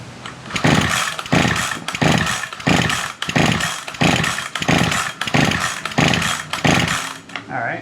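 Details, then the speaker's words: Ryobi SS30 string trimmer, used earlier in the year, broken primer bulb, on choke with ignition on: about nine rapid pull-cord rasps with no firing at all; cranks but will not start, fuel supply suspected. "no start trying use some primer fuel right down here into the throat of the carburetor"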